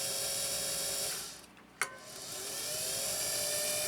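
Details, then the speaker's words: Canadian-made Singer sewing machine motor run with the clutch released, main shaft not driven: smooth, even high whine dipping and climbing back, no knocks; motor healthy, the clankiness lies between balance wheel and needle bar. "We've got a motor that wants to give greatness. Can you hear it? Give it a listen again. This is a motor that wants to give greatness."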